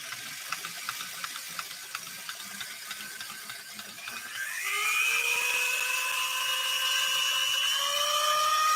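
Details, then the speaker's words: Vintage sewing machine after five weeks at a repair center, mic at a distance: light ticking gives way to a rising, then steady high squeal from an internal drive belt slipping below the cleated belts, with a warm smell. "There's a belt slipping inside of the machine below these cleated belts."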